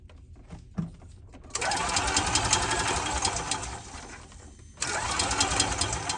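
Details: EFI E-Z-GO golf cart that will not fire, ignition coil and ECU being tested: two spells of quick, even starter churning with no catch or firing at all; turns over fine but will not start.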